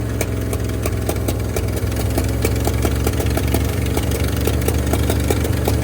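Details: 1971 Ford F250 V8 just revived after 30 years parked, cold -15 °C morning: rough idle with steady sharp tick; owner suspects one or two stuck valves needing freeing and pushrod replacement.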